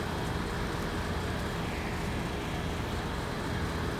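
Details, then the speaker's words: 2005 Acura MDX that had a whining power steering pump, after topping up with another bottle of fluid: steering turned back and forth with only even engine hum and road rush, no whine or groan; fluid was the cause, steering now quiet. "no noise, and we good."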